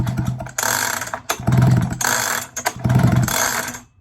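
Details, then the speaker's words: 1970s Stihl two-stroke chainsaw, found lying on the ground, turned over gently by hand with oil on the piston skirt: slow turnover with soft, even rasps, no catch or bind; nice and smooth, not seized. "so let's just see if it actually turns over. Oh yeah. Yep. Nice and smooth."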